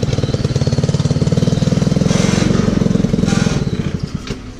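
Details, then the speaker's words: 150cc Yerfdog go-kart engine, recently revived: rapid single-cylinder putter pulsing unevenly as it drops toward idle, then slowing and fading; idle surging with some vibration, owner thinks idle needs turning down a bit. "hey now the vibration somewhere I gotta fix that Mike idling down trying to surge"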